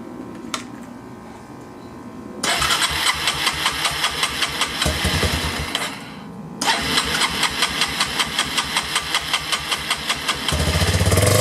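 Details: 1999 Yamaha Bear Tracker after new pickup coil restored spark, petcock replaced and carburetor leak fixed; two long stretches of even cranking about 2.5 beats a second, then it catches and note rises, carb and idle still need adjusting; engine starts and runs.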